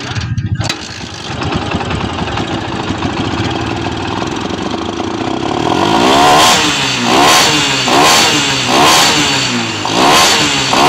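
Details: Barako 2 motorcycle that wouldn't start after flooding, with fuel soaked into the air cleaner: catches after a few kicks with the throttle held wide open, then runs steadily and takes several clean rising revs, dropping back smoothly; normal running.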